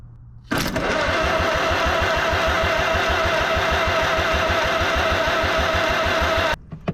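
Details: 1945 Farmall H tractor, cranked after more sanding of the corroded magneto points: steady cranking, about three beats a second for six seconds, never catches. Afterwards only a very faint spark appears; ignition too weak.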